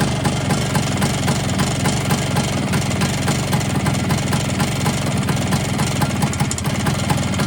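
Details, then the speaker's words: Polini 177 kit on a two-stroke Vespa scooter, run briefly after seizing and being bump started: fast, uneven metallic rattle about four times a second over the buzz. Top end rattle; cush drive springs suspected but it sounds in the cylinder. "Unfortunately, something just doesn't sound right."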